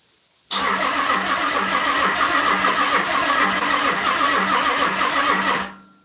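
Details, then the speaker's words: Car being started after a 3-year build, old fuel, weak battery, old alarm not fully removed: steady starter cranking about five seconds with no firing; cranks but won't start, fuel pump or alarm suspected, unconfirmed. "Come on, girl. Certainly sounds like the fuel pump's going not immobilized. But there's an old alarm in this."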